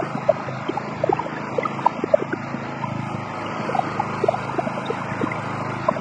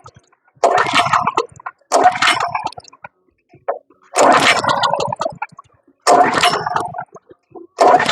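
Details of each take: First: Wood chipper running after finally starting once the loose spark plug was properly attached: even low engine drone with light scattered ticks from the spinning drum, no misses or knocking; normal running. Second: Wood chipper recoil starting with fuel on, choke on, throttle half: quick pulls rattle and whirr but never catch or fire; no start because the spark plug was not attached.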